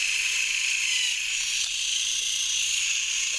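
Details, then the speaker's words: HiT Toys TrackMaster Percy toy train, motor and gearbox refitted after cleaning, tested before full assembly: steady high-pitched buzz of small motor and gears, even and unbroken with no skipping or grinding; sounds fine. "So maybe we should give a quick test before we completely assemble it. And it's going, and it doesn't sound too bad."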